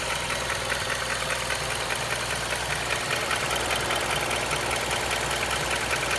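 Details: Honda CR-V at idle: fast, even ticking of about two to three per second over the engine; engine tick with a clacking quality, cause unknown.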